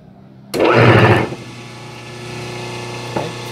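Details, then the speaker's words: 5 hp three-phase motor run on single-phase 220 V with a 72 µF run capacitor (two 36 µF in parallel) and a start capacitor: spins up, then steady low hum with slight buzz, softer than before; voltages about 194–210 V. Unbalanced phases on capacitor-run three-phase motor. "maybe the video is not going to notice, but the sound is softer, the motor vibration, the humm I had before is already a little softer with these two."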